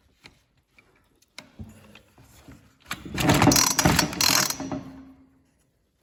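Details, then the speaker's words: Ryobi RY3714 chainsaw, started on choke: a few ratcheting starter pulls, then a brief raspy burst that fades within two seconds, dying as soon as throttle is given; cause not confirmed. "see how it fires up and it works but then as soon as you try to get it gas it's done so I don't know what that's about"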